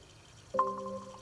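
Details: Xbox One S All Digital console bought as eBay junk, booting up from nothing: a clean, bright run of bell-like tones sounds once after silence and fades evenly, the normal startup chime of a working console.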